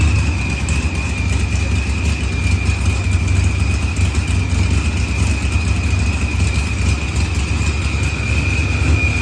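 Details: Green Challenger with a supercharged LS swap, idling after head gasket and fuel pressure sensor repairs. Idle was leaned with oddly low fuel use; timing reads 27° versus 28° target. Deep even V8 burble with steady blower whine, smooth and healthy.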